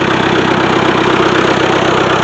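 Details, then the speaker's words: Old Ford-badged power unit using Long tractor parts, intake heat coil removed and cleaned: starts up like it's supposed to; steady, even idle with a smooth regular beat, no misses, knocks or hunting. Normal idle. "but it started up like it's supposed to"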